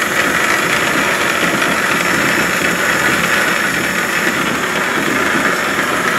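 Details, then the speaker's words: Antique wood lathe under restoration, running on its old motor: a steady, even hum with a light hiss and no knocks or rattles. It runs smooth and quiet. "I'll turn this on do you anybody wants to listen to it run? Nice pretty smooth quiet"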